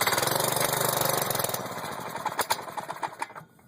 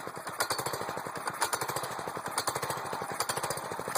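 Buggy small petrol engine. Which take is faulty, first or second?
first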